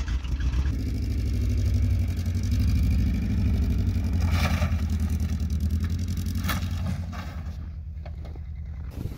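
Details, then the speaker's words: 1999 Toyota Camry LE with failed rod bearing, one cylinder deleted, cold start at seven degrees: lumpy, uneven idle with a stumbling beat about three times a second, running on three cylinders. "all right cold start on three cylinders seven degrees out"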